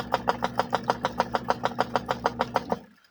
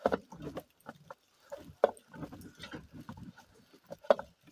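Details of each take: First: Vivohome portable washing machine after replacing the worn, loose belt and spacing the agitator with a washer: steady, strong swish-thump about three times a second with no rubbing; agitator turning with more force, running normally, never super quiet. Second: Vivohome portable washing machine after fitting a slightly too-tight replacement belt, turned slowly by hand: irregular scraping knocks every couple of seconds from the impeller rubbing; tight belt suspected of angling the impeller pulley.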